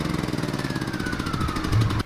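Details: Champion 3400 dual fuel generator running on gasoline, started on choke after its battery was connected and charged (it wouldn't start on gas with a dead battery): the small single chugs with a regular, even pulse at steady speed before shutdown, a healthy run.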